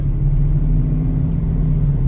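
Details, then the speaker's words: Circa 2008 Mercedes CLK63 AMG convertible, M156 6.3L V8, in for a slight misfire and oil leak: deep, even, steady rumble with no misses, ticks or knocks; no smoke or smell, engine runs very well. "but I don't see any smoke I don't smell anything um engine runs very well"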